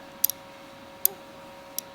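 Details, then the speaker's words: Rat Rod Wrecker new cab/engine harness and fuse box tested with a jumper wire to the ignition hot wire: a few crisp, sharp clicks over a quiet background as the ignition relay pulls in normally. "and it's powered through it's powered through this ignition relay so when he connects that you can hear that relay click"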